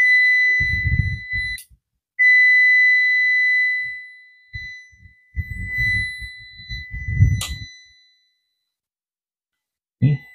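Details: UPS (uninterruptible power supply) with a long-unused battery, plugged in after relay clicks: long steady high-pitched beeps warning that the battery lacks enough charge.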